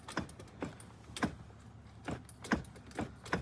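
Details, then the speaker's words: 1990–92 Cadillac Fleetwood Brougham power seat recliner: light, uneven clicks, about seven in under four seconds, when the button is pressed; the seat barely moves because the recliner transmission under the padding is seized, not the motor. "It doesn't do anything. It kind of gives a little bit of movement, but it's essentially frozen. It's not the motor."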